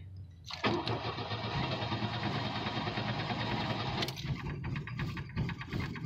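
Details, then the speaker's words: Chevrolet Cavalier restarted shortly after a drive to the market: rough labored start that stumbles a few seconds before settling, raw fuel smell; flooded because leaky injector seals flood it when sitting for short periods. "so let's see how it starts if he wants to turn here we go hahaha and most definitely flooded a bit"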